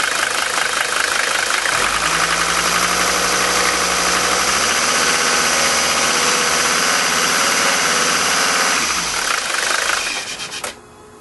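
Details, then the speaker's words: Mercedes 5-cylinder diesel with new Bosio nozzles replacing worn Bosch ones, cold start at 51°F; even idle clatter with no pinging, hammering or detonation, steady until shutdown; normal idle. "the basio nozzles make an entirely huge difference this car is like night and day driving it now it's completely smooth there's absolutely no pinging hammering or detonation"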